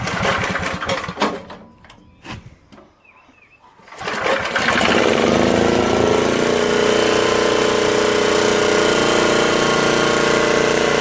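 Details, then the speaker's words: 1972 Montgomery Wards generator made by Pincor, after a rebuilt carb, new air filter and fuel line, and swapping parts to another coil; good compression: fires and holds a steady, even buzz at constant speed. Runs smoothly. "I mean I can pick I can move that generator around on that compression so yeah it definitely has good compression on it"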